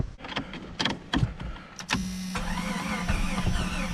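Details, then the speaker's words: Jeep Cherokee on third start attempt with starting fluid sprayed in, battery going dead, old-fuel smell, metal tank prone to rot: starter churns unevenly with a few weak catches but never runs; crank no-start from fuel starvation. "the no gas that's not helping I would like to see this thing run it smells like that old old fuel"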